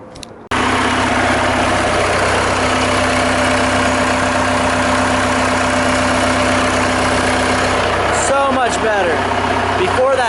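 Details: Vehicle engine just after fitting a new drive belt and new tensioner following a belt failure; smooth steady idle with an even hum and no squeal, chirp or slapping from the belt drive; normal idle, belt problem fixed.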